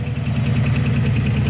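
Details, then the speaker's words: Engine idling just after a Holley carb install, choke not set: sharp, light ticking about thirteen times a second over a steady idle rumble, from a bad lifter; it still runs decently. Lifter tick at idle. "all right you'll have to enjoy this engine here with this uh this bum lifter"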